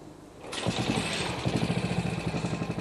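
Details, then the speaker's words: Classic restored Moto Guzzi Falcone with horizontally mounted single-cylinder engine: catches and settles into an even, dull rhythmic thumping, each firing distinct; smooth healthy normal idle. "Su funcionamiento suave y el sonido que produce muestran la elasticidad del motor. Esos latidos rítmicos que se oyen por debajo son el clásico sonido sordo de las Guzzi."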